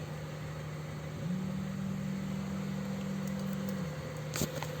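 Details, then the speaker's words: Electric fuel pump heard running with the microphone next to the pump: steady low buzzing hum, yet the gauge shows no fuel pressure and nothing comes out when the valve is depressed; pump runs but delivers no fuel. "so you can hear that buzzing sound maybe this would be okay let's see if you can hear it"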